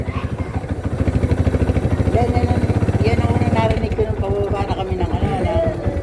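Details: Kawasaki Barako 2 single-cylinder, towed in after losing power climbing, charging voltage reading up to 16 V under throttle, suspected overcharging: revs stumble and pop unevenly, about three beats a second, no clean pull; misfiring.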